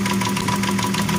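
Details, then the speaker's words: Timing chain noise at hot idle; owner suspects the new tensioner is faulty. A fast, regular light slapping tick over a steady idle, same as the earlier cold-oil noise; owner considers switching from 10W60 to 15W50 oil. "quand la pression d'huile est montée, ça s'est estompé, ça s'est arrêté. Parce que l'huile était froide."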